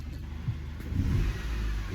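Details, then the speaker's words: Mercedes C250 (W204) turbo petrol after in-tank fuel pump and filter replacement for P008A full-throttle limp mode: starts on second crank and settles into a steady, even low rumble, no misfire or knock, no check engine light; normal running. "did a second uh crank and she fired right up no check engine lights"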